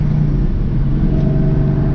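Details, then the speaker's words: 1998-04 Mustang GT V8 manual, after P0357 fix, driving in third to fourth gear: steady even pull under load, no stutter or hesitation; previously stuttered when shifting, now smooth. "so definitely don't feel the stuttering problem off the rip it is it is driving smooth"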